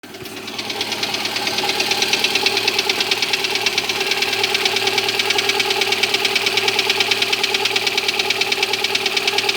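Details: Lada Granta, cold engine: steady, sharp ticking knock about three times a second over the engine hum at idle; cold-start knock of unknown origin.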